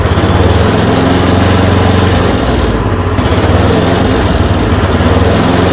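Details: Yard Machine 826 snowblower (8 hp, 26 in cut), just fitted with a dual belt: a fast, steady single-cylinder buzz with a brief dip before settling after the idle screw was adjusted. It runs cleanly and holds speed.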